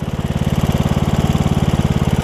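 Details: Briggs and Stratton single-cylinder riding mower engine after replacing the leaking carburetor with a HiPA kit: steady, even putter at about fourteen firing pulses a second, settling out and running pretty good; normal running.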